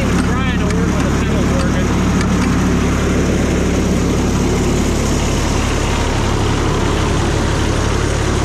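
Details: Cushman front-deck diesel mower bought as scrap (supposedly bad hydraulic pump), just fired right up on a good battery after slow-warming glow plugs: even, steady diesel clatter at idle, no misses, knocks or hunting; normal diesel idle.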